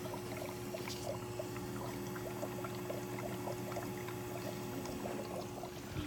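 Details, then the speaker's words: Bosch dishwasher that fills and drains but won't start and hums: soft trickling and splashing over a steady low hum while filling with water. "This noise is from the water that fills."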